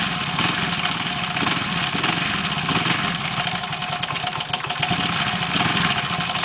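A steady idle carries a busy, fast ticking clatter riding high over the engine note; something is off, but the source is unclear.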